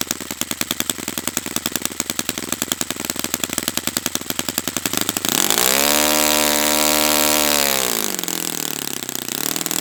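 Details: Brand-new Saito FA-100T twin model engine on test stand during break-in run: crisp, even firing climbs smoothly to a high buzz and settles back down, no misses; running perfectly, normal healthy twin.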